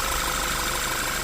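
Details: 2014 Audi Q3 2.0-liter after new alternator pulley and starter: smooth even idle hum, no knock or whine; battery now reads 14.3 V versus 12.5 V before, alternator charging normally.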